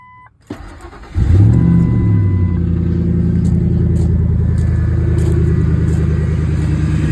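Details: 2003 Ford F150 V8 with a newly installed cold air intake, fixed for intake hum/whine: starter cranks briefly, engine catches and settles into a steady deep idle with no hum or whine; normal cold start and idle.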